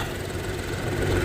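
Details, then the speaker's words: 2023 Nissan Rogue idling after the leaking transmission mount was replaced and trans and brake fluid serviced; even, steady low idle with no shake, knock or drone: no more leaking, no more vibration. "No more leaking, no more vibration. This customer is set and ready to go."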